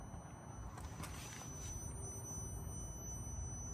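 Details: 2025 Yamaha Tenere 700, ignition on: thin, steady high whistle/whine over a low rumble as the fuel pump keeps running continuously (15+ minutes) instead of shutting off after about 5 seconds.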